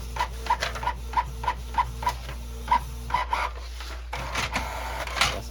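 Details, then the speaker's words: Canon Pixma printer/scanner that had quit feeding paper, now working with the cover off after disassembly, cause unknown. Even rhythmic mechanical ticks about three per second as the head and feed step, with a low steady hum: normal printing. "Just don't know why it's working now that the cover's off."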